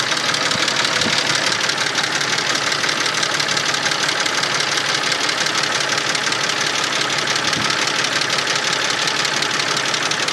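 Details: Mercedes-Benz M104.992 engine at hot idle: all 24 hydraulic lifters give a fast, sharp, even clatter of about three ticks a second across the top of the engine; fine when cold, and an oil change cured it.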